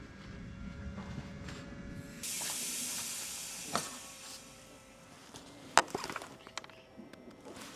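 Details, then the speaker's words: Car AC system pressurised with nitrogen for a leak test: sharp, steady gas hiss escaping from the system reveals a refrigerant leak. "We can actually hear the hissing coming from the system already. So, we can hear that we have a leak."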